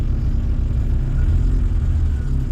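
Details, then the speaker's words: A-registration Vauxhall Nova 1.6 injection that had been running badly, after repair attempts: steady low engine rumble with an even beat, no misfire, stumble or hunting; normal running. "final effects that's running all right"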